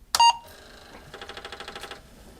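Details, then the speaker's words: Apple IIc (1985) after motherboard replacement, first power-on: clean single beep then a quick run of about a dozen even disk drive clicks; normal startup beep and drive spin. "sounds pretty good I'd call that a good result"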